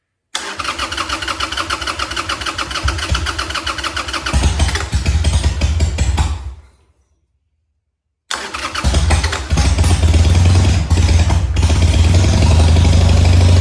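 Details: Harley Sportster after an engine oil change with 2.5 quarts, after cranking with the choke off: it catches on the starter and runs a few seconds. It then fires again and settles into a steady, loping V-twin idle; normal start and idle.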